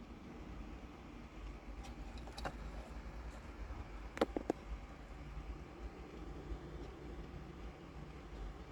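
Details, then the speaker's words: Toyota Sienna 2011-2014 aftermarket Android radio after replacing its noisy cooling fan with a new silent brushless 12V fan, fan switched on manually: soft steady low hum in the car, fan barely audible, normal. "the fan turn on and you didn't hear any noise and you can can feel the air is is pushing out so it look nice everything look like it's working fine"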